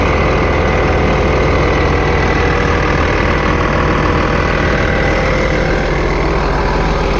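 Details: 8300T truck diesel at final assembly after an engine rebuild, before a test drive: loud, even idle clatter at a steady beat with no odd knock or miss; owner says she sounds good; normal idle.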